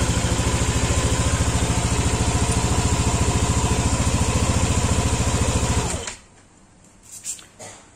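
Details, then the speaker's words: Yamaha Aerox scooter after fitting a manual cam chain tensioner replacing the failed one: even steady putter at idle with no ticking or rattle, then switched off; normal idle. "suaranya pun halus Ya pastilah namanya kalau Tensioner udah bener suara mesin pun akan halus"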